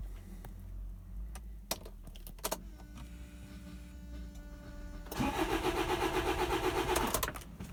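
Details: Land Rover Freelander TD4 with 89k miles, new low-pressure pump and filter and good pressure on diagnostics, timing issue suspected: clicks and faint priming hum, about two seconds of cranking, then it fires and cuts out immediately.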